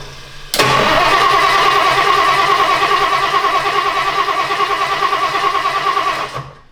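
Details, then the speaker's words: 1962 Ford Thunderbird V8 after sitting 16 years: steady starter cranking about six seconds without firing; no fuel reaching the carburetor. "So, it's still not working. Okay, carburetor is not getting fuel. So, we need to figure out why that is."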